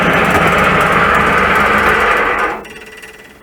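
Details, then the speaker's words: 1941 Ford pickup engine with the fan belt on, sudden racket that worsened: loud rattling clatter about two knocks a second over the engine, then it drops off sharply; starter or flywheel first suspected; the belt-driven water pump bearing is the cause. "Okay, that sounds really bad, doesn't it? Okay, that really does sound bad. It sounds so bad I don't even want to run it to try and diagnose what it is."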